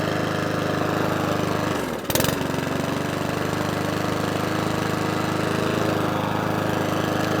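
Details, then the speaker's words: Mountfield 414 lawnmower after repeated carburettor cleans: steady, even beat after one brief blip, no hunting or surging; normal running. "lawn mowers are sent from hell to test us that's running nice now"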